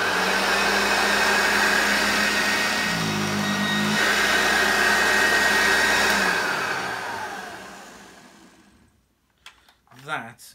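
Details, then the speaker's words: Refurbished Hoover 1334 upright vacuum after fitting original parts from a donor machine: smooth, steady high motor whine with no rattle or scraping, then an even, clean wind-down to silence; healthy motor running normally. "really good really really good it sounds good the motor whines down fine"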